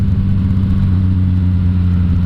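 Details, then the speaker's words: Yamaha FZ-09 after replacing the automatic oil-pressure cam chain tensioner with an APE CCT: steady, even engine drone with smooth low exhaust pulses. The earlier chain-like rattle, most noticeable at low RPM, is now gone. "but that sound is now finally fixed. I knew what it was."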